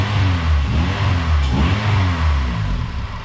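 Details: Honda K-series engine with Jackson Racing supercharger, after supercharger oil change: deep note rising and falling through smooth blips with clean return; revs freely, normal idle and revving.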